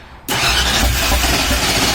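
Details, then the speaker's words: Ford Ranchero on its first start in the build, with new firing order; choke pulled, fuel not yet through the system. Starter spins it at a steady, even cranking rhythm but it never fires; cranks without starting, cause suspected, not confirmed. "It definitely, it's got a good starter. Alright, giving it a little bit more. Go ahead. I don't think any fuel's in our system yet, so keep going."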